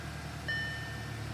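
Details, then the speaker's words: Audi cold idle after replacing a flap position sensor (manifold removed) and PCV valve to cure a misfire: low, steady hum with even revs and no stumble, brief chime over it; smooth, normal cold idle. "she's running nice usually when it's cold that's when it runs lumpy she's running perfect"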